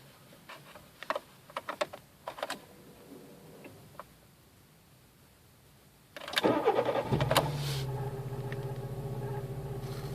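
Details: VW Polo CL (86C) with AAU engine, after replacing a faulty Hall sender: after some clicks and handling, engine catches at once and settles into a smooth, even idle with no misses; normal idle after repair.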